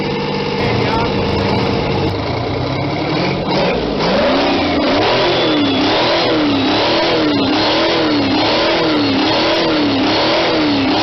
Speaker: This is a V12 Detriot Diesel engine that puts out 525 horsepower. Some might say that it sounds like a V6 at high revolutions, but that's because it's a two-stroke engine.